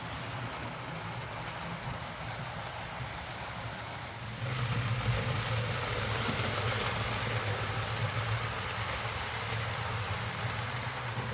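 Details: Hornby R.372 Class A4 "Seagull" tender-drive model loco after repair: stop-start running likely from excess axle oil spoiling pickup; quiet even motor hum stepping up slightly as it gets going, no stutter or grinding.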